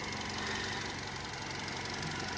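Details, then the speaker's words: Petrol car, bonnet open with a dusty engine bay and no oil leaks; steady, even tick-over with no knocks or misses. Idles smoothly and sounds healthy. "It's ticking over lovely. Look at this. Listen to it. Really nice. Really ticking over nice."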